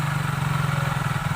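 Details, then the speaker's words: Hero Super Splendor single-cylinder engine just reassembled with timing set and oil filled, after crank noise: steady, even quick putter with no knocking or rattle; earlier crank noise now completely gone. "जो इसमें किरण किरण की आवाज़ आ रही थी, अब इसमें बिल्कुल भी आवाज़ नहीं है।"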